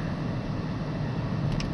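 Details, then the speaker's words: 2010 Dodge Journey running after the alternator was replaced at about 100,000–120,000 miles: steady, quiet, low engine drone with no whine over it. The earlier alternator whine is gone. "So, but now it's working good. It's quiet. Don't hear the little whine from the alternator."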